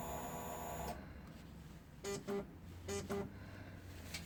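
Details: Suzuki DL650A K9 motorcycle, engine off: short paired whirring buzzes as the throttle is blipped, with a similar sound when the engine is stopped; cause unknown.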